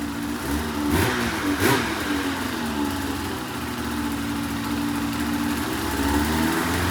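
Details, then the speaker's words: 2004 RMK 800 two-stroke snowmobile, first run after reassembly with used head o-rings, cold, compression earlier 145 and about 100 psi; steady crisp, even exhaust note, no misfire or knock; normal running. "oh wow it actually sounds pretty good"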